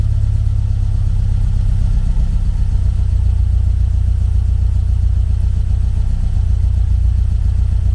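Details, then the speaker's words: 1974 VW Beetle 1915cc air-cooled engine on MaxxECU EFI during fuel-table tuning: steady, even low thrum with a firm regular beat, no misses; smooth running with lambda around one. "See, when the lambda's around one, it's running really well."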